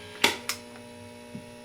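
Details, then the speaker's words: Late-1965 Epiphone EA-32RVT Comet tube amp with reverb tank grounded to center tap, reverb on at full volume: only a faint steady low hum under handling clicks, barely different from reverb off; noise level normal after grounding fix. "The noise level is not that much different, and at full volume like that, that's not really a problem at all."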